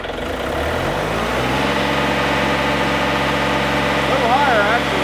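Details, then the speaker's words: John Deere 3520 tractor diesel after throttle cable replacement and idle adjustment. It cranks briefly, catches right away, and settles into a steady, even idle with no misses: normal start and idle. "okay now that it's warmed up all right I like it I do too"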